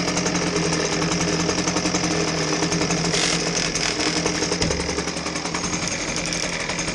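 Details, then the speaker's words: Husqvarna 125B handheld two-stroke blower, customer complaint of rattling: steady high drone with a coarse rattle running through it at speed; a cracked impeller is suspected. "there's definitely a rattling noise coming out of this blower it's kind of hard to tell where it's coming from but I suspect that it might be coming from the impeller area I have seen crack impellers create this kind of rattle before"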